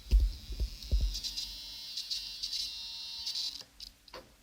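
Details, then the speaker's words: RC helicopter tail (anti-torque) servo on a 3GX MRS flybarless unit, while setting the left end limit: steady high buzz for about 2.5 seconds as the servo strains against its mechanical end stop. "Là il se déplace, il va venir en butée. Là le cerveau commence à couiner."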